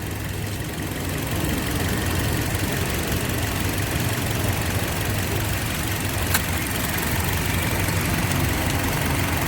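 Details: 2007 Toyota (Yaris) idling with the AC on, after the customer's old ignition coil was swapped in to cure hunting and misfire: a steady, even idle with no hunting or stumble, all cylinders firing cleanly.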